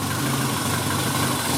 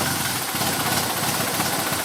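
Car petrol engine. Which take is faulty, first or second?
second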